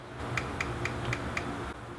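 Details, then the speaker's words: 12-card GTX 1080 Ti mining rig: five light, sharp ticks about a quarter second apart as riser solder points touch the PCIe slot behind; this can short and crash the rig, with electrical tape as the planned fix. "So if you listen closely, you'll be able to hear them actually being able to touch without much movement at all"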